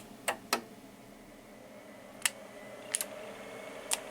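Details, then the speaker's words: MFJ-994BRT automatic antenna tuner, tested before the bias-T is added: sharp, irregular relay clicks, about six in four seconds, when the unit is wiggled. Something is loose and not working correctly. "so there's something loose it is not working correct so that is uh once again when i wiggle it here so you see that is not uh how it uh have to be and now again"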